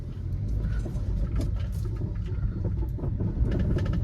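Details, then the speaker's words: Volkswagen Vento driven slowly over potholes: low road rumble broken by irregular hollow knocking, like stones rattling, on the up-and-down motion; owner says it comes from the front shock absorbers, not confirmed. "सुन रहे हो खटर खटर की आवाज़? तो ये खटर खटर आवाज़ front के soccer से ही आ रही है। देखो जैसे कुछ बज रहा है, ऐसे ऐसे करके पत्थर जैसा कुछ बज रहा है, अगर गाड़ी गड्ढों में ऐसे अप एंड डाउन में चल रही है तो।"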